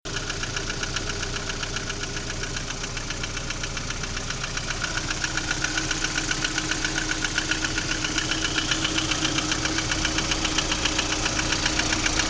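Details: Lada Priora engine at idle: sharp, very even metallic ticking about 150 per minute over a steady idle; clear engine knock, source undetermined.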